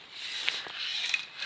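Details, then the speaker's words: Miele S5 Cat and Dog vacuum, old extension wand: short dry scraping rasp with thin squeak as the telescopic tube is extended; owner suspects a stone or grit inside the tube. "must be like a stone inside it or something when you extend that you can heave it scrape and"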